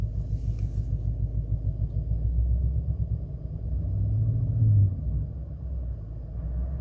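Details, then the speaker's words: Chrysler 300C idling with no fault codes showing: a deep idle with an irregular stumble and pop-pop-pop from the exhaust, not running on all cylinders. Engine misfire, cause unknown. "You can hear that. Listen. You can't, like, it's making that pop pop pop from the exhaust. It's definitely not running on all cylinders."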